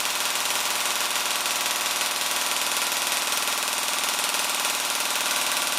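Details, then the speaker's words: Gearbox cycling on the stock motor with an M120 spring fitted, before the T238 brushless swap: fast, hard buzzing chatter about four cycles a second over a high motor whine, drawing about 16 A average, 27 A peak. "all right that sounds tough um we'll uh observe the the current readings i think we've got a max of 27 there look like an average of around 16 amps"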